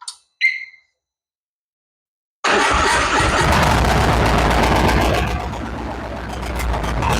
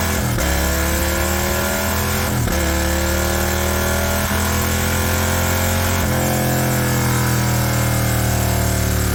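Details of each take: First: High-mileage Harley-Davidson V-twin, first start after S&S 129 Power Plus kit, new plugs and big injectors, tune not yet adjusted: fires after a pause into a loud, lumpy, hunting, loping idle; way too much fuel at idle. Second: High-mileage Harley-Davidson M8 V-twin with S&S 129 Power Plus kit, big injectors and kit cam, under load on dyno: deep rumble climbing steadily in pitch through repeated pulls, clean and even, no misses; normal, 136 hp, 154 ft-lb.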